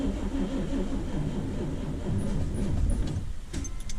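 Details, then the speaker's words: 1979 C3 Corvette, start attempt on old battery without jumper, rainy day: slow laboured cranking with uneven heavy chugs that never catch, then starter stops; battery too weak, later replaced. "Oh, I don't think the battery has enough. Let's give it a jump."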